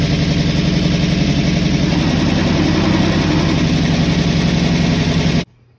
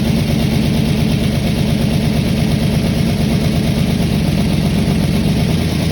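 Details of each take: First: Mustang V8 just after the ignition timing was corrected, with pushrod length and valve adjustment still unresolved: fast, lumpy idle around 220 pulses a minute with a steady exhaust beat, then shuts off. Sounds much better; idle is high. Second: Mustang with aftermarket cam, after fixing valves far out of adjustment (no compression) and setting timing: steady, loud low rumble with fairly even firing and no obvious misfire; pushrod length or valve adjustment still unresolved.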